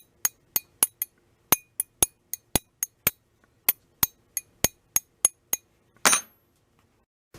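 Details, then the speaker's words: Hand-made gasket scraper from brazed leftover steel, tip (about ½ inch) heated in a wood stove and quenched, tapped to test: about seventeen sharp, bright ringing taps instead of the earlier dull sound, showing the steel hardened properly, good enough for a scraper. "I say it's a little bit hard. It's good enough for a scraper."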